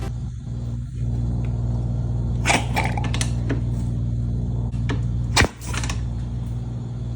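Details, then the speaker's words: Dirt bike hydrolocked after being taken through water; the crankcase held almost straight water instead of oil. The engine spins over with a low steady churning, and two sudden bursts of spray are heard as water is forced out. "Good gravy! How much friggin' water can an engine hold? It's on the ceiling now."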